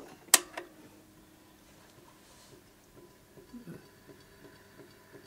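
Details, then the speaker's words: 1960s Pye Black Box stereo record player, Garrard deck regreased and oiled: faint ticks two or three times a second over quiet motor hum on startup, from a dent in the rubber idler wheel left in manual position for years. "that tick tick tick sound. Now that is because when I looked at the rubber idler wheel, someone had obviously left it in the manual position for many years, and it's got a nice little dent in the side of the rubber idler wheel now."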